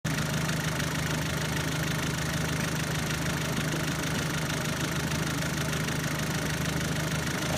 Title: B6 2.0L Stroker ticking noise #2 (few engine revs)